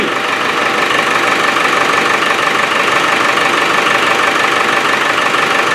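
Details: Land Rover Defender at idle after AC repair, found already holding gas: even diesel clatter about three beats a second, AC compressor pulling cleanly with no slipping squeal; normal idle with compressor engaged.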